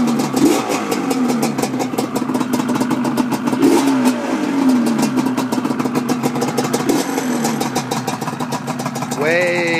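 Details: 1988 Yamaha Banshee twin two-stroke after sealing exhaust leaks where silencers meet the Toomey pipes with high-temp silicone: crisp revving blips, sharp exhaust pops, no longer the hard rattle on revving.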